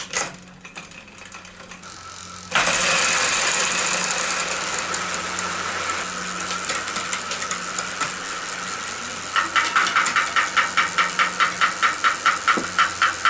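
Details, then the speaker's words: Homemade electric mountain bike, 8000 W hub motor converted to mid drive, running at higher RPM: steady motor whine, then quick regular ticking about two per second as bent spokes strike while the wheel turns; fixed by bending them back. "What is that noise? Yeah, some of the spokes are bent on here. Just bend that back."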